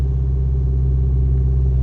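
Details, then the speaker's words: VW Golf TDI diesel at standstill idle with solid engine mounts replacing worn ones: loud steady deep drone with heavy even throb; excessive vibration at idle, much less at higher RPM and while driving. "Of course it's loud, it vibrates more, but the only problem you could have it with is when you're stationary, and of course, like most obvious example would be being in a traffic jam."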